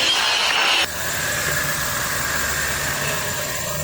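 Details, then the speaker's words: Honda power steering pump, previously monstrously loud, now quiet at idle after topping off the fluid with Honda fluid (not ATF): even hiss and faint steady hum, no whine or groan. Fix made before replacing the pump. "yeah that's definitely dude hell yeah this thing was monstrously loud before"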